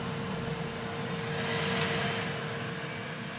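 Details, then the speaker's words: Elegoo Centauri Carbon 3D printer, new, during initial setup calibration: cooling fan at full speed, pretty loud and running really fast, door being shut; steady airy rush with constant mid whine; normal. "But that's pretty darn loud. But it's running really fast."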